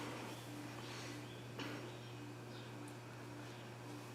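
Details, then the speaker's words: Older-model 42" Hunter Low Profile ceiling fan on medium speed gives a steady low hum with a faint pulsing buzz. It comes from the light kit rather than the motor, possibly from vibrating screws. "Yeah, you can tell that noise is not coming from the motor, it's coming from the light kit, like the screws are vibrating a little or something."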